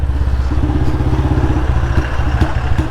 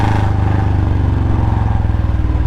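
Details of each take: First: Royal Enfield Bullet Standard 350 single-cylinder, riding with the petrol tank running dry: steady thump, then beats drop out unevenly and the engine stumbles. Misfire from fuel starvation. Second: Royal Enfield Bullet Standard 350 single-cylinder, after a new packing gasket: deep, even thump at steady revs with no puffing or ticking at the header. Normal exhaust note.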